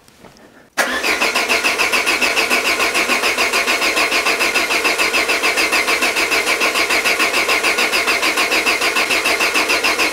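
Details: Peugeot 205 with Solex carburetor just refitted, first start attempt with some connectors still unplugged: steady starter cranking at about three and a half turns per second, no firing; cranks but won't start.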